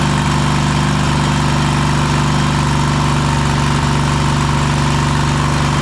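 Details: Cub Cadet Super LT1554 with a 27hp Kohler V-twin, 500+ hours, after head gasket replacement and throttle cable adjustment: loud, steady V-twin beat at constant speed, no hunting or misfires; much better, though rpm could still come up more.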